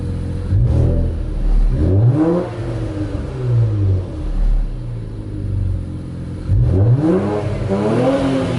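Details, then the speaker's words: Infiniti Q50 after installing an AMS fuel pump, first start: slightly rough on startup, then clean revs rising and falling smoothly back to even idle; nothing abnormal heard. "oh i heard it a little rough in stardom but it's just probably those empty i feel them but far so good don't hear or see anything"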